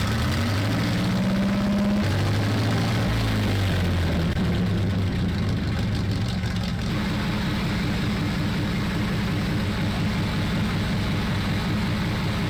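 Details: Sherman Firefly tank engine, rebuilt twice after overheating traced to the gasket lining: the starter grinds briefly, then the engine catches into a steady, even low rumble at idle; sounds healthy.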